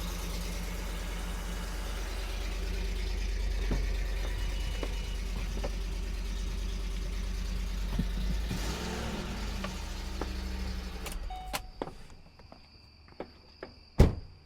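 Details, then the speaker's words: Ford Explorer Sport Trac first start after repairing broken exhaust manifold studs (drilled and tapped) and refitting the manifold and exhaust: an even, steady engine hum with no ticking or puffing from the exhaust side, then a clean shutdown; sounds as a vehicle should, repair successful. "I think that sounds like a vehicle is supposed to sound."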